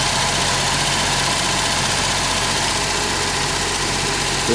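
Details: Ford Sierra Mk1 Estate 4x4 Ghia 2.8i idling briefly after a starter was fitted, run without coolant: even, steady idle with a smooth hiss, no puffing or ticking at the manifold, no exhaust blow.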